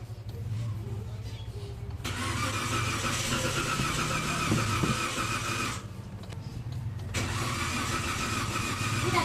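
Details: 2015 Toyota Avanza that won't run: starter cranks steadily about four turns a second in two long tries, never catches; crank-no-start.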